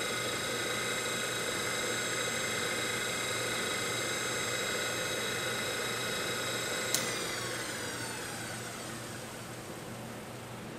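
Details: DC motor from a 1974 Karmann Ghia EV conversion, spun on the workbench from a weak 12 V battery before swapping to a better one: steady high whine, then a contactor click and the pitch slides down as it coasts; motor runs normally.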